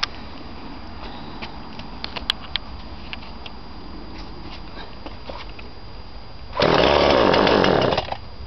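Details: Husqvarna 137e petrol chainsaw, 2007 model bought 2009, started stone cold with choke fully out, then half in; a few quiet pulls, then it catches and buzzes evenly for a second or two. Normal cold start.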